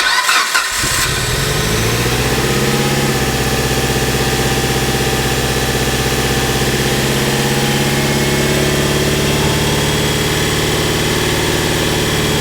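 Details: Mitsubishi Evo 8 MR after an engine swap, first start: quick crank, catches at once and settles into a steady, even idle with no misses or knocks; no leaks, runs well.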